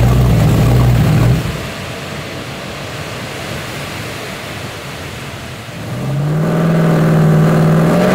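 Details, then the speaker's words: 1970.5 Chevrolet Camaro Z/28, LS6 V8 with FuelTech FT550 EFI, 7.50 Index drag car on hub dyno: revs drop off then climb with a hesitant, uneven note; ignition timing about 20 degrees out, popping out the exhaust. "that's what 20 more degrees of timing does so I got it that's why it sounded funny and everything"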